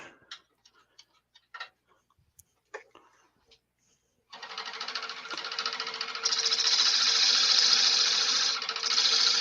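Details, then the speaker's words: Wood lathe with many hours of use, spinning up to a steady hiss with a fast, even tick of three or four a second. Worn spindle bearing starting to make noise; the lathe needs service. "no that sound is the bearing leona yeah the sound that you're hearing is the bearing is starting to make a noise"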